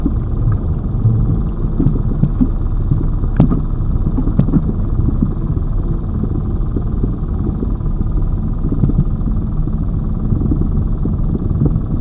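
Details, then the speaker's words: Lada Vesta Cross, old original right front strut (only the left was replaced under warranty), dashcam aimed at the right strut mount, mount insulated with rags, driving over bumps: sharp single knocks over deep rumble; owner suspects the right strut is bad. "если здесь сейчас будет синее стук значит всё-таки это Вот Эта стойка фиговая"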